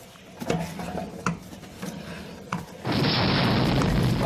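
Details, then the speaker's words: 2008 Chevy Suburban 2WD 5.3 V8, front wheel rocked by hand: sharp clicks about every second, then a loud rush of noise; loose front wheel hub bearing, to be replaced. "this is how you can tell the wheel hop is loose you can listen to the clicking and sound like saying"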